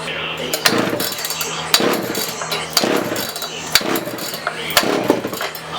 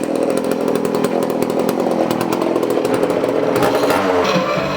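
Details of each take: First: Early-1980s (1981) Poulan Counter Vibe 4000 chainsaw, unused for years in a shed, fresh fuel added: rough pull-start bursts about once a second, coughs each pull but won't keep running; ignition module found caked with dirt. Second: 1981 Poulan Counter Vibe 4000 chainsaw, after cleaning the ignition module, blamed for most of the problem: steady crisp high two-stroke buzz without stumbling or surging; running well.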